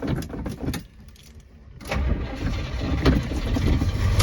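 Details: 1971 vehicle on a freshly quick-charged battery, before going to the body/paint shop: short crank, then it catches cleanly, starting on a dime, and settles into a steady, even idle with no stumbling; normal start.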